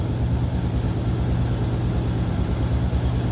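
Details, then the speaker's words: 1956 Chevrolet Bel Air 2-door hardtop with a small-block Chevy V8, heard from the rear at the tailpipes: a deep, steady, even idle rumble with no misses or ticks. Healthy. "Slip around to the back so you can hear this run. Door closes nicely. Say what you'd expect. Nice little rumble coming out of that small block"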